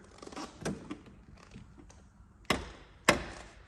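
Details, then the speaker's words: 2019 Chevrolet Blazer RS, driver's door: two sharp pops about half a second apart as the door swings open, against a quiet background; cause not stated. "uh something else I do just want to point out here on your driver's door whenever you open it there will be a popping sound go ahead and listen for it here"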